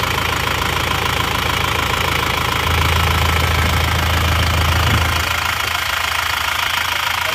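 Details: Isuzu Panther diesel at working temperature, after new liners and piston rings fixed a compression leak that smoked at the oil filler cap and dipstick; even clatter at steady idle, no stumble or hunting, no smoke from the filler cap; normal idle.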